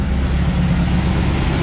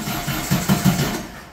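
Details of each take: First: 1600cc VW dune buggy air-cooled flat-four after new spark plugs, an oil change and fixing swapped cylinder 1 and 2 plug wires: a steady, even low chug at idle with no misses, knocks or ticks. It is running clean, with a carburetor rebuild planned next. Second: 1600cc VW dune buggy air-cooled flat-four before the spark plug change, with a known cylinder 1 misfire, in cold mid-30s°F weather: short uneven bursts of firing that stumble and die away. The lumpy, broken beat shows it still running on three cylinders.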